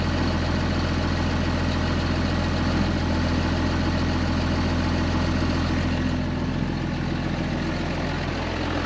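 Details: 2005 Ram 2500 diesel at idle after the FASS lift pump and fuel lines were replaced, nothing leaking: a steady, even clatter with a smooth low rumble and no misses or knocks. It runs pretty even, a normal diesel idle.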